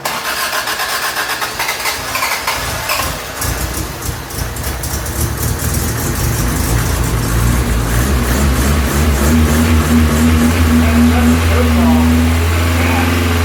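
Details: Toyota Tercel 3A-C engine just reinstalled, third start attempt after fuel lines were connected: long struggling, stumbling cranking before catching and holding a rising, steadier idle; flooded until choke shut off and gas given.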